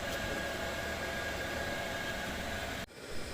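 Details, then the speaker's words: Chinese diesel air heater in a van reaching its 21° setpoint, overshooting by a degree: steady airy fan rush with a faint whistle drops to a quieter hum as the fan slows and fuel pump ticking fades; normal. "Okay, it's slowing down. Yeah, so it overshot by a degree. Yeah, I'm okay with that. But now it's starting to slow down. So the fan's slowing down."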